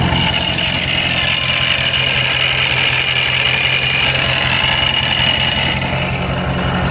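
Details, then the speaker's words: Procharged Dodge Scat Pack after shop check (no metal shavings, supercharger oil changed): steady high metallic whine with rough grinding, scraping edge over constant drone, comes and goes; owner suspects supercharger gears, not confirmed. "Now I'm pretty sure it didn't sound like that earlier. Now it sounds like that metal scraping again. I guess it's just the gears."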